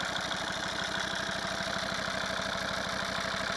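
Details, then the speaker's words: Volvo V50 D5 diesel, 142,000 miles, warm idle after EGR valve and pipework cleaning and test drive: steady rhythmic chuffing pulse with light ticking on top; rattly hydraulic lifters, due for replacement. "yeah, the lifters are rattly. I think it's okay. We know we need to do the lifters at some point."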